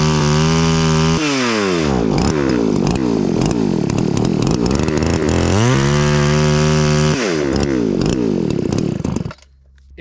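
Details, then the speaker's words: Roughly 40cc two-stroke chainsaw on vodka, no oil, after carb clean: revs up, bogs into the cut and recovers smoothly repeatedly, no stumble. Normal running under load; chain later seized. "really well what do you know she cut the saw actually did pretty good for running on vodka"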